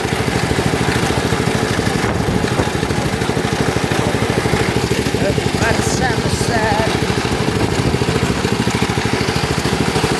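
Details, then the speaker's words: Lawn tractor cold start with little gas in tank: small engine runs with a steady scraping rattle on every firing beat; cooling fan broke off inside and rubs as the engine spins. "sad that sound y'all heard that's the cooling fan it broke off inside so I don't know why so that's why it's making that sound when it's running"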